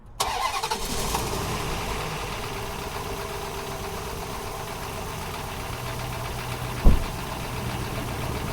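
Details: 4.7L Dodge V8 with flashing oil light, mechanical gauge fitted in place of oil pressure switch: cranks briefly, catches and settles into an even cold idle with no knock or tick; 60 psi oil pressure at cold start.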